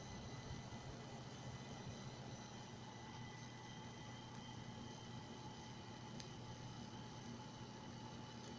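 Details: Chinese motherboards (Huanan, Plexhd) after Windows boots, worse with the high-performance power plan and not cured by changing the power supply: faint, steady high coil whine from the board's chokes, several thin tones over a quiet hiss.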